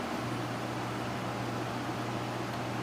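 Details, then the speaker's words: EOS EAP12F 12000 BTU portable air conditioner at maximum fan speed: steady even airflow hiss with a constant low hum, no rattles or knocks; normal running noise. "Então esse ruído dele em funcionamento normal, na velocidade máxima do ventilador."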